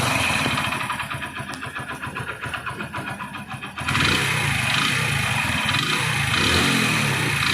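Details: Hero Splendor Plus, 32,314 km, overheated after local engine oil was used: uneven tapping knock, about four per second, over a light single-cylinder idle, then a blip of revs; piston slap from worn piston and rings.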